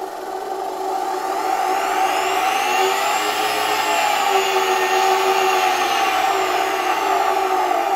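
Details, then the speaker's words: Roughly hundred-year-old Electrolux 7 vacuum cleaner, rated 120 V, run at reduced voltage through a regulator after the part causing its rattle was removed: the motor spins up to a smooth, steady whir with no rattle or scraping, running cleanly. "Die Spannung ist nicht allzu hoch, aber man hört es schon: Für ein hundert Jahre altes Gerät ist es wirklich schön, es funktioniert wirklich gut und man hört nicht das nervige Klappern, mit dem wir in der vorherigen Folge zu kämpfen hatten."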